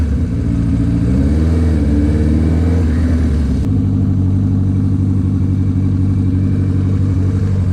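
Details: GS750 four-cylinder cafe racer with a new custom exhaust, rebuilt carbs and dyno tune, first ride: the engine note rises smoothly through the revs, shifts, then holds a strong, even drone. Healthy acceleration.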